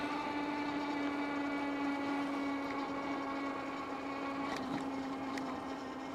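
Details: KBO Breeze e-bike hub motor, throttle only at full throttle climbing a steep hill: steady high whine over ride noise while climbing; hub motor whining and straining under load.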